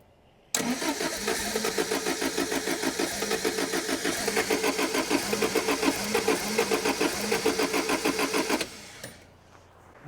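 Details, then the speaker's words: 1975 MG Midget 1500 with a starting fault the owner suspects is in the ignition system, after a new coil and a different HT king lead: about eight seconds of steady starter cranking, roughly three turns a second, never catching; cranks but won't start. "okay so we now seem to have gone backwards and it's not starting again all right see this is the annoying thing"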